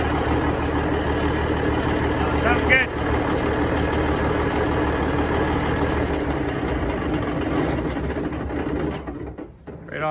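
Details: Budd RDC 9114 railcar diesel, engine No.1, after transmission oil cooler replacement for coolant contamination, transmission flushed and refilled. Deep rumble settles into steady, even idle with no knocks or misses; running healthy.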